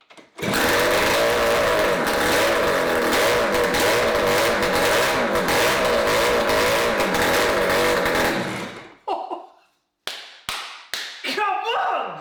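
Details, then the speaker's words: Suzuki GT250 X7 two-stroke barn-find motorcycle, first start after full engine rebuild (crank rebuilt by specialist), kickstarted: loud, crisp two-stroke crackle holding a steady fast idle for eight seconds, then cut off. Runs clean and healthy. "Absolutely buzzing to hear that fired up. Oh, what a relief. And it sounds so crisp. You can tell it's a two-stroke."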